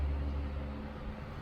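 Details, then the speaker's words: Restored 1938 GE 12-inch oscillating fan (49X929) on speed two, low, non-oscillating, with vacuum noise in background: soft steady low hum, no wobble or rattle, next to no vibration, blades well balanced; normal running. "here it is on speed two which in this case is low speed and it runs beautifully I currently have it on non-oscillating mode"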